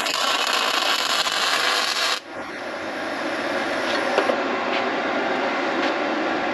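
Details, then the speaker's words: MIG welder after a control board repair, lowest setting of 15 V with wire speed 5 on 0.9 mm wire, meant for 2 mm steel: steady, even frying crackle for about two seconds; a light cold weld, board working properly. "if it welds properly like this it means that the board is working so i'll show you what it's doing all right there we go tiny little cold weld let's crank it up and show you what it does"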